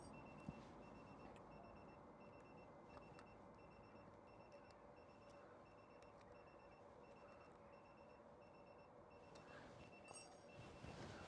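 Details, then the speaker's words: Citroen Ami with newly fitted tyre pressure monitoring system, readings 2.1, 2.1, 2 and 1.9 bar: faint high evenly spaced beeps about three a second; TPMS low tyre pressure warning. "What have we got? 2.1, 2.1, 2 and 19. So I need to check my tyre pressures."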